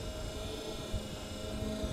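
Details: Repaired wiper motor on a 1981 Ford F100, reinstalled with the cowl off and no wiper arms, running on low speed. A quiet, steady hum of even pitch with no grinding or clicking; it parks at the same spot. Normal wiper motor low speed.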